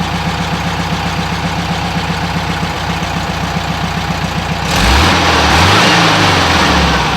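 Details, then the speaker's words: 1967 VW Westfalia Bus, after replacing 009 distributor with correct vacuum advance distributor: loping idle then throttle stomps rise cleanly, no gurgle, stumble or flat spot. "[Applause] so that was me stomping on it a few times and as you didn't hear that gurgling action now starting it up"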